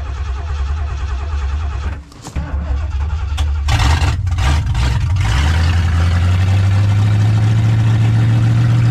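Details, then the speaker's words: 1978 Lincoln Continental V8, cold start: cranking, stumbling catch and blips, then a deep, slightly uneven idle; fine once warmed, carburetor choke needs dialing in. Rough cold-start idle. "there it is sounds good right yeah oh so it needs a little bit of carburetor tweak yeah you once it warmed up though perfect it just needs that choke dialed in"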